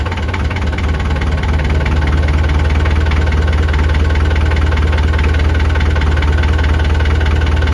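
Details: Perkins 4.108 marine diesel on a sailboat out of the water, test run after rebuilt starter/solenoid and rebuilt fuel injector pump: steady, even idle clatter with regular firing and no misses or hunting; normal running.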